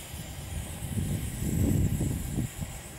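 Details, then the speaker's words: Dual-fuel pressurized liquid-fuel stove, being tested on kerosene as an alternative fuel: after preheating with the tap on, fuel hisses from the jet and the flame cleans up into a steady low roar with an even hiss. Normal burner roar. "hissing you can hear is the X&Y purloined fuel coming out of the the jet and as you can see the flame is starting to clean clean itself up a bit"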